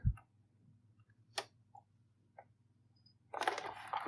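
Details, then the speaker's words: Braun Hobby F80 transistor flashgun from the mid-1960s, over 50 years old and unused for 40 years, capacitors re-formed. A single sharp pop from thermal shock in the xenon flash tube over a faint hum, then handling noise; normal firing. "as you can hear it goes there's quite a pop generator i think it's the thermal uh shock if you like from the two energy released in the flash tube for the zenon tube and that produces the sound"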